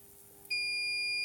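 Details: Insulation (hipot) tester on a lithium button-cell charger at about 3000–4000 V AC with the trip set to 1 mA: quiet, then one steady high-pitched trip beep holds; fizzing, probably corona discharge, with the trip at 3450 V.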